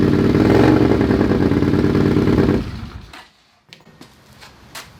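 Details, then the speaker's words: Honda CX500 scrambler with a DB killer baffle trial-fitted in a secondhand slip-on muffler before modification: an even, throaty exhaust beat at steady idle for under three seconds, then shuts off. Mellow tone, no rattles; much quieter, normal running. "I'm happy with that. That sounds way better."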